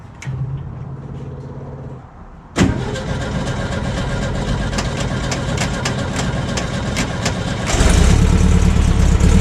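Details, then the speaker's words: VW Kombi with a freshly rebuilt carburettor fitted, before tuning: it cranks and catches, then idles unevenly with a lumpy, hunting beat and a rev blip; rough running. "so sweet it runs um as you can hear doesn't run the best so time to get some tuning"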